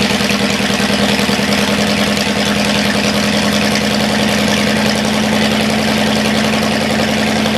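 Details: Cadillac 390 V8 after sitting 8 years, second run with coolant added, still cold and carburetor not yet tuned: steady, even V8 idle a little high with no knocks or misses; the water pump leaks badly and the carburetor leaks slightly.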